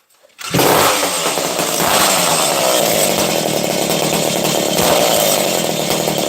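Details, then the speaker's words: Husqvarna 268 XP chainsaw, nearly out of fuel: engine catches suddenly and holds a high, raspy, even buzz without stumbling, starting and running cleanly. "so this thing's running there we go"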